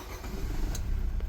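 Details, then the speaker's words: Nissan Teana J32 after replacing the failed control box and registering the smart key/immobilizer system, having previously refused to start with the fan running constantly: short crank then clean catch into a low even rumble; normal start. "ติดใช้งานได้เหมือนเดิมเรียบร้อยนะครับ"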